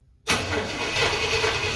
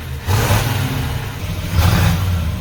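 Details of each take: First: 1968 Pontiac Ventura on its original factory exhaust, which is hanging on by a thread and floods the cab with fumes, before replacement: engine catches hard and runs loud and raspy with a coarse hiss, a worn, leaking exhaust. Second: 1968 Pontiac Ventura V8 after a new Amazon universal single exhaust with a Thrush muffler, heard from outside: deep, even burble with clean rev bursts swelling and settling, no rasp, drone or leaks. A healthy, well-sealed exhaust.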